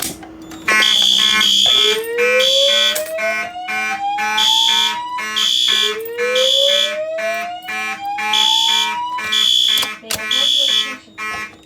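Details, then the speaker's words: Notifier NFS2-640 fire alarm system test, second Simplex conventional pull station activated: loud repeating horn pulses with slow rising whoop tones and DVC default voice message to use stairways, a normal evacuation alarm sounding as intended. "Okay, now I'll activate the second conventional pull station so y'all can hear the voice message up close."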